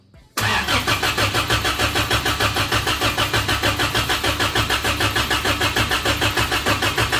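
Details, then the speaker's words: Rock crawler engine newly converted to propane: starter cranks evenly about 200 beats a minute and never catches because the ignition wire was not hooked up. "do I oh helps when you hook the ignition in"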